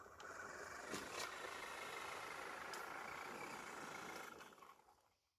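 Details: STX Kanyon RC truck after gearbox teardown and repair; before repair it made grinding noises and the motor spun freely: even electric whine with smooth gear hum under load, no clicking or grinding; the drivetrain now pulls cleanly and faster.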